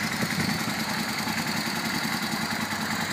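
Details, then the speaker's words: 2003 Yamaha V-Star Classic touring motorcycle, 25,000 miles, in neutral after starting; steady, even low V-twin rumble with no knocks, ticks or misses at idle, healthy and well maintained. "Idles nicely. Bike's been properly maintained, obviously, by the previous owner."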